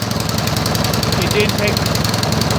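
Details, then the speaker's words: Craftsman 24-inch MTD snow blower, about 2010, after carburetor cleaning with carb cleaner and air, float cleaned, screws tightened to fix gas leak and no-start: steady even small-engine putter on choke, running much better. "It's still running on choke. It's running much better."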